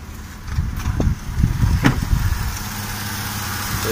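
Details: Toyota 1JZ-GE idling: irregular sharp clicks and crackles, squeak over low rumble from drive belt area; worn tensioner and idler pulley bushings, fixed by replacing the belt tensioner pulley.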